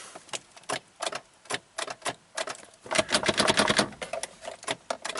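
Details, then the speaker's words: 2003 Mazda Protege5 automatic, 123,000 miles, timing belt recently redone and new starter fitted: key in park gives only light dry clicks, about three a second, no cranking; starts in neutral, pointing to the park/neutral shift interlock side. "try to start it and it just he said it just clicked it wouldn't crank"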